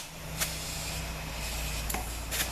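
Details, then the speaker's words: ZF 6HP26 transmission from a Jaguar, on the bench before valve body fitted; air check of the remaining clutch circuits, one passage possibly lube. Steady, even air hiss with light taps, no sputter or leak-off: normal. "and then down here we'll check the rest of them okay that's good good and that's good I think this is maybe Lube here but sounds"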